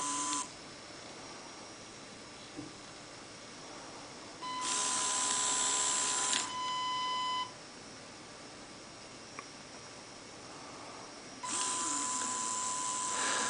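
A switch clicks, then a steady high whine runs for a couple of seconds at a time, even and clean; the motor is working properly.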